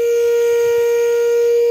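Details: Old Caterpillar unit after overheating, engine shut off: a loud steady horn-like tone from the radiator as it blows hot air, fading away afterward.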